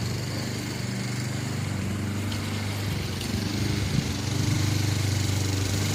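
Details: Free Honda push mower mowing grass after its deck height was corrected: engine chugging under cutting load, pitch and volume swelling slightly around four seconds. Mild surge that the owner plans to treat with Seafoam.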